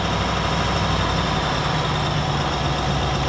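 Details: Range Rover L322 TDV8 diesel after a battery replacement, idling with revs slightly raised and the lights on while the charging system holds 13.8 V: a steady, even, low rumble under the electrical load. Normal idle.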